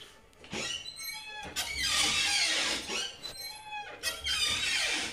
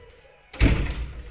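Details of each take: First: Loud, high squeal rising and wavering in drawn-out bursts as a house door swings, from a dry, unlubricated hinge; rust-preventive spray or WD-40 is the fix shown; squeaky door hinge. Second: Heavy front house door swinging after its hinges were sprayed: only a dull thud and low rumble, no squeak at all, where heavy doors usually squeak loudly.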